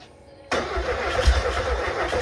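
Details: Freshly rebuilt 1600cc engine at first startup attempt, with starting spray applied and the battery getting low; starter churns the engine in steady rhythmic pulses but it never catches: cranking without starting.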